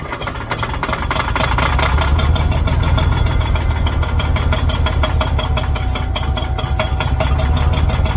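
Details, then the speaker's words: Old Caterpillar D6 dozer diesel at about half throttle, deep regular chugging about three beats a second, steady with no misfires; runs pretty good, normal running. "I'm going to go back and turn the fuel back off and uh yeah this thing runs pretty good"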